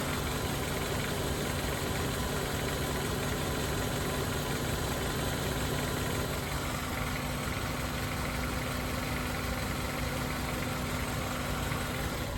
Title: What's wrong with the car making a noise every time it starts? ( xe có tiếng kêu khi nổ máy )